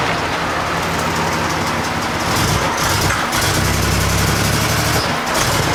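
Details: Buick Century with intake backfire, power loss, stalling and no hot restart; ignition control module, crank sensor, fuel filter replaced, IAC cleaned, spark at all six plugs: idles steadily without miss, then stumbles and coughs on a quick throttle punch; misfire, cause unfound.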